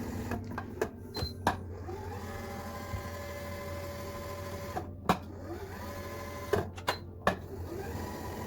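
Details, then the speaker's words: Kenmore 385-19550 computerized sewing machine after lubrication and grease service: even soft whir with light needle ticks and occasional clacks; earlier noise almost completely gone. "you can hear the noise it's almost completely gone and that's a good great thing about doing lubricant grease"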